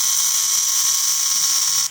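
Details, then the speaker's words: Newly bought RC horn sound module held while the button is pressed and held to cycle sound patterns: constant harsh hiss with piercing high whistle and no real horn tone; distorted static, cause not confirmed. "And listen to that static. Like that's not even acceptable in my opinion."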